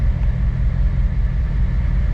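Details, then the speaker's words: 2008 Chevrolet Corvette C6 LS3 with rough idle: deep steady idle that doesn't dip when injector five is disabled via scan tool (seven likewise), so cylinder five isn't firing. Dead cylinder. "injector number five didn't make a difference injector six did and seven didn't did right off the bat injector number five and injector number seven don't make a dang difference"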